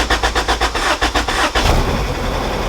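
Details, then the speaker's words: Acura Integra with new battery and a good alternator, hard to start: the starter cranks in quick even pulses for over a second before the engine roughly catches. Owner suspects the original starter is going bad and is replacing it. "i'm not sure if you guys heard that well but she struggled to turn on like she was wanting to and then it's just like the starter"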